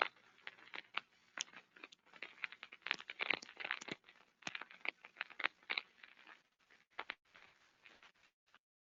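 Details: Ultrasound recording of a damaged rolling bearing via SDT ultrasound instrument: irregular crackling and popping bursts with no steady hum, gritty signature of bearing defect; structure-borne and airborne ultrasound sound slightly different.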